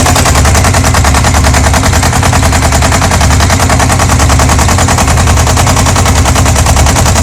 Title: Yamaha XJ600 Diversion strange engine knocking noise